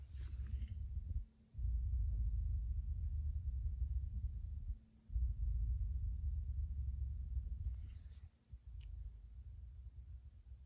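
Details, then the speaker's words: Klipsch Reference Theater Pack 5.1 wireless subwoofer emits a very low, steady hum with nothing playing, dropping out in gaps; fades after minutes idle, unaffected by outlet changes or filter strip, stops when the wireless transmitter is unplugged; owner suspects wireless interference. "when nothing is playing there is a very low volume but very distinguishable low humming voice a humming sound it's like very low frequency low volume humming sound"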